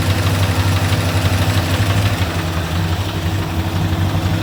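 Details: V8 with Comp Cams XR270HR camshaft at idle: loping idle with an uneven low thump roughly three times a second under the cam chop; possible rod knock, cause unconfirmed.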